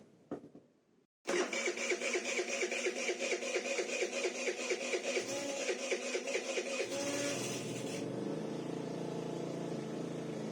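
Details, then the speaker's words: SYM 4-stroke 50cc scooter after valve adjustment, carburetor cleaning and primed carb: starts cleanly after a short crank, picks up through even throttle blips, settles to a steady smooth idle. "Am lăsat trotineta să se încălzească și am mai reglat puțin ralantiul. Se pare că pornește destul de bine și când este cald."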